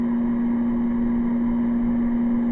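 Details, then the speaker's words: Air conditioner run on solar power through a modified sine wave power inverter: loud, steady low buzz at one fixed pitch; motor humming on the modified sine supply, less hum on low, a larger inverter would work better. "it is actually working but you'd like to say you can actually hear the home so I mean it is working if I hooked up my larger inverter it would actually work a little bit better"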